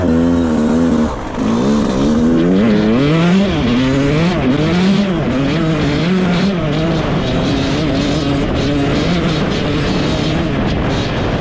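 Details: Rebuilt 2001 Yamaha YZ125 two-stroke, ridden: revs up and down through the gears, pulling cleanly without bogging; jetting spot on, air screw maybe slightly off, slight takeoff bog if clutched wrong.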